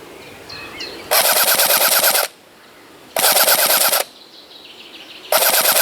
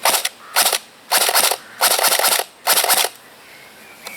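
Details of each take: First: Cyma CM.060 P90 AEG airsoft rifle on a 7.4 V battery, full-auto: four bursts of buzzing fire at about nine rounds per second (roughly 545 per minute), sluggish cycling, battery considered too weak. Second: Cyma CM.060 P90 AEG airsoft rifle on an 11 V battery instead of 7.4 V: five crisp, evenly spaced semi-auto shots, clean snappy cycles with no springy twang; normal semi-auto cycling.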